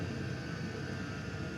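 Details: Custom hybrid water heater, Webasto water-heater body welded to a Chinese diesel heater, at max, fully warmed with radiator near 90°: deep, steady roar with no surging or popping. Burner running cleanly at full output.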